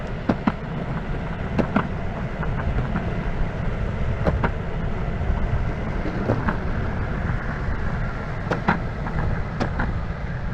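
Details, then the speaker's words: Verreal RS electric skateboard with urethane wheels on rough asphalt and cracks: heavy low rumble with sharp clacks as the whole deck rattles loudly while the motors stay quiet; smooth on smooth asphalt, and softer wheels may help. "on smooth asphalt this thing sounds really good over cracks and on rough asphalt this thing sounds like a dump truck going down the road so the motors aren't loud but the entire board is louder than the heck"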